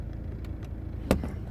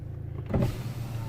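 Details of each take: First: 2009 BMW 123d E87 driver's window switch pressed: single sharp click from the door with no motor hum, window never moves; window fault, later fixed without parts. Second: 2009 BMW 123d E87 2.0 diesel, driver power window after repair without parts: short, smooth motor whir as the glass travels, no grinding, clicking or straining; window motor healthy, though auto one-touch not yet relearned.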